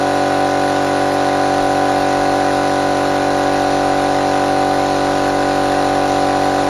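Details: Restored compressor fired up for the first time after refurbishment, no water trap fitted yet: loud even hum with a steady pumping beat of roughly two per second and no knocks or rattles; normal running.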